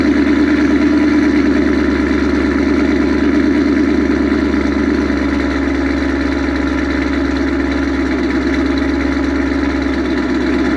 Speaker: so that noise seems to go away after a while that's a good thing i think this has been sitting so long it hasn't really been rant or it's warmed up so you can't really tell